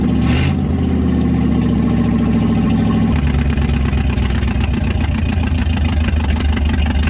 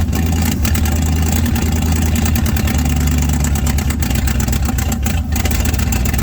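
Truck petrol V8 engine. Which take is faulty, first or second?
second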